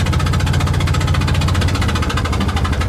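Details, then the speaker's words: Invacar twin limping on the road after spitting out a spark plug: deep, uneven chuffing of about 175 per minute with ragged, missing beats. Running on one cylinder. "to see if I can limp back on one cylinder at least to the top of the next hill and then maybe I can coast into town"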